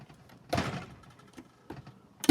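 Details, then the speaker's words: Lubri-sizer with the lube reservoir depressurized, sizing bullets: quiet handle strokes broken by sharp pops as each bullet grabs and releases in the die. This is lube starvation, and it worsens toward jamming. "there, you hear that? That little pop? As I keep doing this, it's going to get worse."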